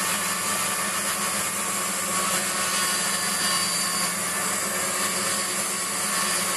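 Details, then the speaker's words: Waldown/Dumore tool post grinder finishing a bronze bush bore on a lathe, stone worked in both directions with fast in-out traverse and very light cuts: steady high hiss with no catches or gaps. Even contact throughout, so the bore is finished. "so when that's it's all stopped we'll know that uh and it's a constant sound all the way through we know that the job's done you've worked your stone in both directions"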